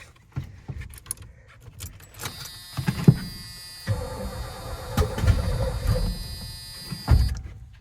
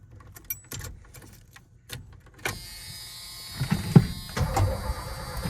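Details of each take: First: Cranking with a few brief, uneven bursts of firing that die out on an 80s Ford F250 big block after a new starter relay; runs only on starting fluid, pointing at an inherited fuel supply issue. Cause suspected, not confirmed. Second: 1980s Ford F-250 bullnose with big-block engine, after fitting a new starter relay in place of a bridged, seized one: a few clicks, then the starter turns the engine over with a steady, strong churn; cranking sounds healthy, engine not yet running.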